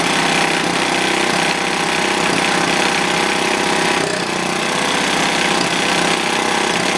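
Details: Old, worn Clinton B700-series single-cylinder engine (model B704, possibly ex-rototiller), choke on, gives a steady, buzzy run at constant speed with no misses or surging; sounds healthy, slightly smoky.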